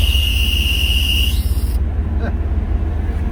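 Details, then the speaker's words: 1985 GMC C2500 with 1992 350 small-block V8, electric fuel pump, fuel return line just added; high steady squeal for just over a second as the engine fires, rumbling underneath. Owner suspects a belt issue; squeal on startup. "we may have a belt issue we're going to have to address later but uh as for now it seems to be doing everything it wants"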